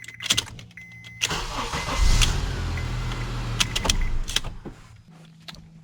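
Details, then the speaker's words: 2003-2007 Honda Accord that needed many key tries to start, after replacing the ignition switch actuator (Honda 35130-SAA-J51): a click, a short crank, then it catches first time into an even idle; normal start. "como se puede ver ahí arranca sin ningún problema y sin fallar ni una sola vez"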